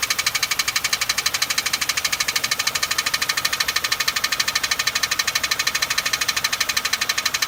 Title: Loud ticking noise